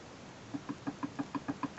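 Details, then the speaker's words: Rear axle differential with a knocking complaint, shown on the bench: quick, crisp metal clicks, about six a second, as the crown wheel is rocked against the pinion. Backlash varies with a tight spot because the overloaded diff's case was twisted. "i'm going to make the diff uh show the backlash in different positions and you'll hear it by clicking noise so where it's set at the moment if i get the crown wheel and i jiggle it you should be able to hear that's the backlash"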